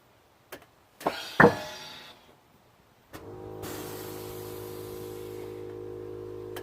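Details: Brand-new Air Lift Performance struts on a 2016 Subaru WRX: sharp loud double clunk with ringing tail when airing up, car vibrates, then compressor hums; manufacturer says the sound is normal.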